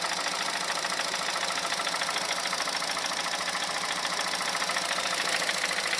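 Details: 2006 Honda Civic Hybrid 1.3 IMA engine at idle: thin, light idle with a crisp knock about three per second that stops above 2200 rpm; source undetermined, suspected camshaft, valves, bearings, timing chain or piston slap.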